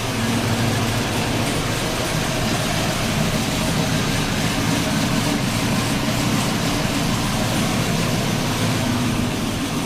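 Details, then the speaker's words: 2009 Saab 9-7X 5.3 V8, first start after engine and transmission reinstall with XS Power headers and stock exhaust retained: constant low, very quiet rumble, no knocks, misses or ticks; no leaks or engine light, idling smoothly. "i left the entire stock exhaust system in here obviously from the wi-fi bed and it's amazing to me how freaking quiet this thing is"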